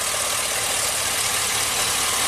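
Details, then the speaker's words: 2005 Chevy Silverado 2500HD V8 with a reman engine (originally seized from water after sitting; 20,000 miles), no check engine light: idle shakes with a lopsided pulse; unplugging cylinder 2 injector shows no contribution. Finding: dead cylinder misfire. "so you can see this engine's kind of shaking a little bit the shoulder ones over here cylinder 2 is over here let's unplug the injector you see there's no contribution of cylinder two"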